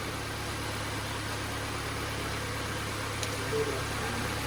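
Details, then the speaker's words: Nissan Sentra (Grandeur) previously no-start, now running after ignition coils regained power: steady even idle with low constant hum, no misses or knocks; check engine light still on, overheating also reported. "Andandar na siya mga bossing. Nagkaroon na siya ng kuryente mga boss yung ating ignition coil ah."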